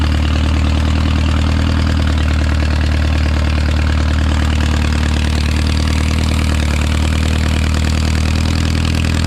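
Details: Original early-1950s engine of a Renault 4CV (engine failed early 1950s with cracked block, weld-repaired), reassembled and run for the first time in ~70 years, warm: low steady even idle, smooth unbroken beat, no misses or knocks, barely smoking; normal idle.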